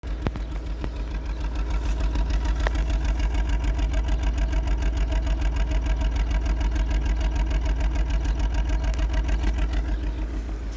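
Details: Chevrolet Vectra 2.2 16v idling with a quick, even pulse near three per second over a rough, lumpy undertone; unstable idle with an unidentified engine noise.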